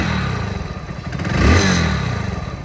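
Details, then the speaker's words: Motorcycle after repair with new clutch plates and complete cleaning: even exhaust beat rises smoothly to a quick rev and settles back with no knocking or rattle; the loud noise present before is now gone, normal revving. "ये मैंने गाड़ी start करी पहले गाड़ी में बहुत sound आ रहा था अब ये साउंड बिल्कुल नहीं आ"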